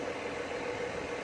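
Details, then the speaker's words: 2007 BMW E61 525d diesel, cold start after repair of cold-start shaking and erratic idle: short even diesel idle with steady clatter, no stumbles, shaking or smoke; running smoothly. "smoke, no really, and it's running absolutely perfect. Running really smooth, as you can see. No shaking, no vibrations, no nothing."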